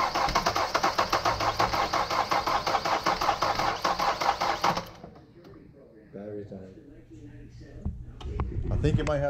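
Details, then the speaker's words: Kia Soul 2.0 liter with a cam code and taped-up cam sensor wiring, cranking: regular cranking about two and a half beats a second with uneven puffs, no catch; backfiring, suspected incorrect cam timing. "distributor in backwards those timing marks were pretty clear it was it was backfiring through here"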